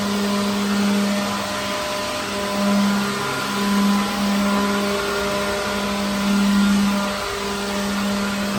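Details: Used cordless leaf blower cleaning out a truck trailer: an even high whir that rises and dips as it is swept around, with no rattles; it runs properly.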